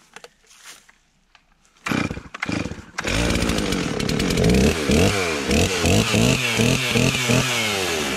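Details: Stihl 036 chainsaw after installing a new piston and head: catches after a few pulls and settles into a strong, even two-stroke howl holding steady while cutting; running properly.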